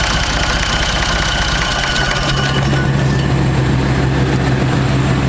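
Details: Ford 3600 tractor diesel after a second CAV injector pump rebuild that freed gummed plungers, restarting on its own: it cranks, catches within a second or two and settles to a steady, even idle; normal diesel start and idle.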